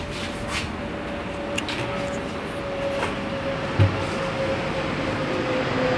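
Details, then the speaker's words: 1962 Buick Electra house car, first start attempt with no fuel yet reaching the filter: steady starter churning about three beats a second with a whirring tone, no firing; cranks but won't start, timing suspected a little advanced. "Again, sounds like it might be a little advanced."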